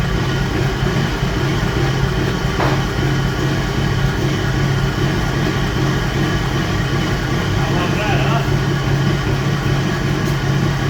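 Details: 1951 Dodge M37 military truck, idling after a start: steady, even low rumble with no misses or knocks. A healthy idle.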